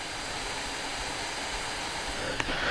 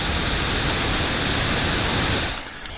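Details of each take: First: Steam Deck at 15 watts, stock and unmodified, before the tape fix. Steady airy whoosh with a thin constant high-pitched whine over it; the whine eases when the logo is pressed. Cooling fan whine. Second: Steam Deck at 15 watts under game load, after electrical tape was added to quiet its whining fan. Steady soft airy whoosh with no high-pitched tone; normal fan airflow noise.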